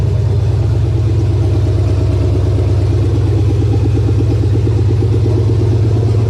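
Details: 1999 Chevy 5.3 V8 4WD junk donor pickup, run to test the engine: a steady V8 rumble with an even beat and no misses, knocks or rattles. It sounds like a healthy runner.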